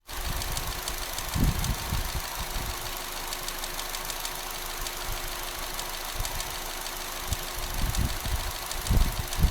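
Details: 2014 Astra GTC idling with a light, sharp ticking over a steady hum; cause not evident.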